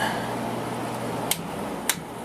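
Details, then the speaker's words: 1994 basement air conditioner started after a long time unused, initially loud, now a low, steady hum with light airflow and faint clicks as it quiets down. It is blowing cold already; compressor running smoothly. "it's quieted down a little bit now it will quiet down even more haven't run this unit in a long time so that's why it sounds like that nice and cold already now I hardly hear it"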